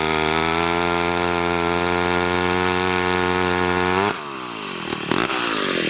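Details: McCulloch 1-42 two-stroke chainsaw, restored project saw, cutting wood: strong, steady high-pitched scream bogs cleanly as it bites, then recovers; healthy saw pulling well.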